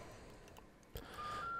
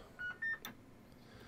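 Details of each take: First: Homebrew vintage 7-tone CB roger beep board, bought faulty in a job lot, with one IC faulty. After much tinkering it now sounds crisp: a clean, quick run of distinct stepped electronic tones. It works properly. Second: Homebrew vintage 7-tone CB roger beep in single beep mode: two short tones, second higher, thin and not crisp as original, waveform wrong on scope; distorted by unpowered counter chip.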